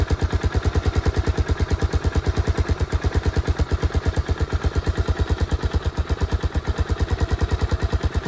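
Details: 1986 Suzuki Savage 650cc single, first run after many years with new ignition coil, fresh gas in carb, oil added and aftermarket can exhaust: steady, even thumping idle about three beats a second, no misses or knocks; running healthy.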